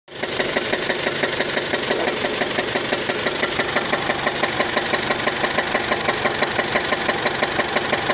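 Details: 2004 Dodge Stratus: petrol engine catches and settles into idle with a loud, steady knock about three times a second; additives are tried to quiet it.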